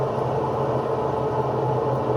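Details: Electrolux top-load washer, empty drum on spin: steady, rough droning rumble that sounds like a worn bearing but is caused only by a loose agitator; fixed by tightening it with a dedicated agitator wrench.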